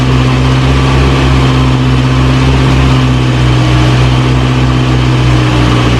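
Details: 1937 Morris 8, 918cc pre-war engine, running during recommissioning, no cooling water in: smooth, even low idle, steady hum, no knocks or misses; about 75 psi oil pressure, burning off oil smoke.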